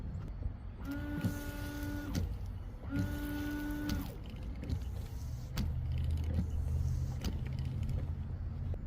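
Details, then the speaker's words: Hyundai Elantra washer pump in reservoir: two separate steady electric buzzes about a second each; pump runs but no fluid sprays from nozzles, pump failed, reservoir and pump replaced. "do you not hear the buzzing noise coming from your windshire wiper reservoir motor"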